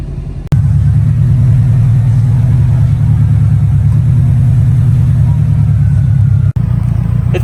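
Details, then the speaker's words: Subaru WRX idling after repairs and a 15-minute ECU throttle body idle relearn: steady, even, smooth idle with no more hunting up and down; repair successful. "15 minutes now it sounds like the fixes that we did to the car it's an idle and a lot smoother now doesn't have any that weird idling up and down"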